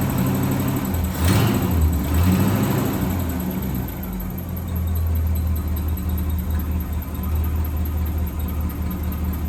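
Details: 1963 AMC Rambler wagon 287 V8 at idle: thin constant high squeal over low steady idle; left-bank rocker shaft running dry after its bolts were mixed up during valve stem seals, rockers dry with metal flakes, metal on metal.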